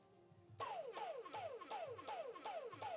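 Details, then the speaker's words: Dyson cordless vacuum that wouldn't charge and flashed red, fed 21.6 V at up to 4.9 A from a bench supply: a short falling whine repeats about every third of a second as the motor starts and cuts out; cause unconfirmed. "interesting that was an exciting noise could you guys hear that"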